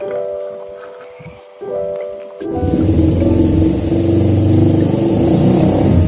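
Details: Suzuki Satria FU engine after crankcase noise repair, with worn balancer damper identified as the usual cause: starts and revs cleanly with an even beat, no knocks or rattles, music over it; sounds healthy.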